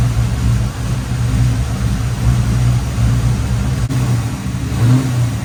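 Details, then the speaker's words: Long-parked 1989 Chevrolet Corvette C4 V8 with a misfire, idling with a low, uneven, lumpy beat, running rough; ignition timing checked with a timing light and found off. "so it's kind of running a little little funny so I thought well throw a timing light on it and see and then I see this"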